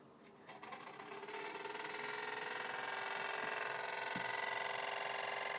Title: PS4 LOUD CLICKING NOISE WTF!!!